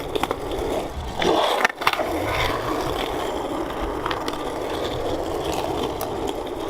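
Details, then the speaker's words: 3D-printed hard plastic (not rubbery) longboard wheels, slightly warped from printing, rolling: loud, harsh, gritty roar with a clack at each push; loud rolling noise, rider unsure they absorb shock. "they feel like they're gonna be really sliding and they're real loud but not like do they because they're not rubbery so do they absorb shock at all"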